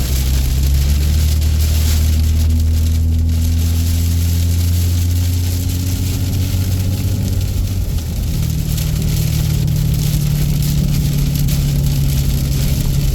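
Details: Engine running normally with a deep, steady drone, pitch rising and settling with speed, no exhaust rasp or flutter; the exhaust brake noise has gone away.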